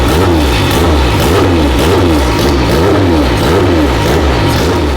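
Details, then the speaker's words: Abandoned Honda after fixing a missing engine ground and a blown ignition coil fuse, fuel components changed, fuel pressure guessed, light tuning: revs up and down cleanly with raspy, loose exhaust rattle; healthy revving. "This thing sounds like a river. I like the rattle exhaust."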